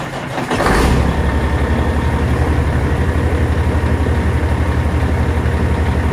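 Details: Semi truck diesel cranks and catches, then settles into a deep, even rumble at about four pulses a second; a healthy, steady idle.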